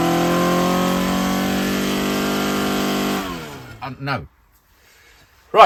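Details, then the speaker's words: Ford Crossflow engine with twin 40 DCOE carbs, Kent 224 cam, Vulcan head, first dyno power run at conservative 26° ignition advance while bedding in; strong even high-rev roar held three seconds, then revs drop cleanly; healthy, 115 hp, 118 lb-ft. "So, there you go, guys. That's our first power run. Only 26° ignition advance, 118 pound foot, 115 horsepower."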